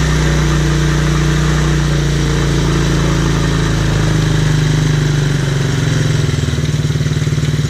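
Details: TaoTao Chinese ATV single-cylinder, after clearing a carburettor clogged by fuel dried during over a year of sitting, settles into a steady even putter; healthy normal idle.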